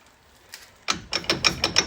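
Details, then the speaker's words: 2010 Dodge Ram 3500 Cummins: rocking the front hub by hand gives sharp metallic clunks, about six a second, after clanking on the road; worn wheel hub assembly with loose play. "Yeah, once they started thumping. Yeah. And that sounded pretty loud, like it was loose."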